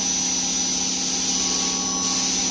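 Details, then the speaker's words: Knife-making belt grinder with a freshly fitted sharp belt, grinding a dagger. Steady high-pitched cutting hiss over a light motor hum, with no chatter or thumping; normal grinding with a fresh belt, while catching an edge would bring an angry hiss. "That is a fresh fucking belt. It goes like a meat saw."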